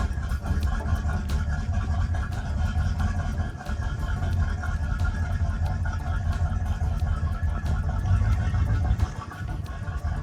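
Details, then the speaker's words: Boat port engine started after throttle linkage was reconnected: deep steady rumble running evenly with no knocks or misses, throttle responding; healthy. "That's the throttle working. You hear that? Oh, that's a good sound. It's connected and working."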